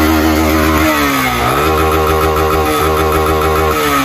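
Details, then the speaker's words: 150cc motorcycle running: a rough, clattering single with a rattly top-end knock that dips with a brief blip, and it is smoking; worn cylinder and piston, needing a cylinder kit and valve seals, with cam chain and rocker rollers to be checked. "Primeiro lugar, tem uma cascavel aqui dentro, certo? >> Tá uma batedeira aqui incrível."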